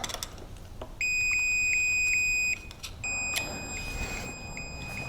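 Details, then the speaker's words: Ignition points on a 1971 Chrysler 707HE 70 hp two-stroke outboard: the continuity tester beeps steadily, switching cleanly on and off as the points are released after cleaning. The cleaned points now close and make connection. "when the points are released, now they actually make connection. It's really annoying."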